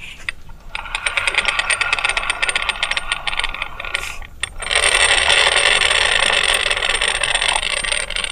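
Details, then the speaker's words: Yamaha Mio M3 scooter, rough final-drive noise when letting off throttle: hand-turned rear wheel, forward and backward, gives gritty clicking rasp from gearbox. "Ketika saya putar ke depan dan juga ke belakang itu sama-sama kasar ya teman-teman"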